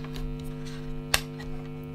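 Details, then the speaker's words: Guitar effects pedal wall-wart power supply plugged in: steady low hum with a buzzy edge, constant throughout with one brief click; mains hum from the noisy adapter, which can get into the signal chain. "so first of all what I did I got this power supply that came with it and I thought well I'll check to see how noisy the actual power supply is pretty noisy"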